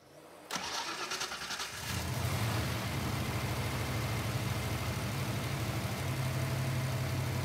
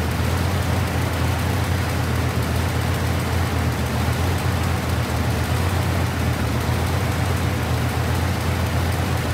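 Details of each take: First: V8 car after checking a suspected misfire with intake removed: cranks briefly, catches, then settles into an even, steady low idle with no stumble or skipped beats; normal idle, no misfire. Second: V8 car idling with exhaust cutout rattling underneath: loud, rough, uneven lope as one cylinder drops out; infrared thermometer on header tubes showed number seven cylinder not firing or not getting fuel; cylinder misfire.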